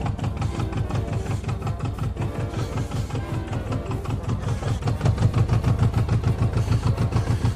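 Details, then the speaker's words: Japanese project motorcycle with a seized choke held by hand and an air leak: lumpy low idle with a fast pulsing buzz on each firing beat, a vibration rattle at idle. "That's just the vibration of that."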